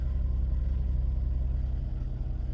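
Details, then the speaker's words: 2008 Dodge Grand Caravan 3.8 L, about 240,000 miles, after replacing the motor mounts: low, even rumble with steady beat and no shudder or clunks, where it previously rattled the steering wheel; normal idle after repair. "I can feel it's nice and smooth pretty amazing actually like before it could actually like rattle a steering wheel and everything else"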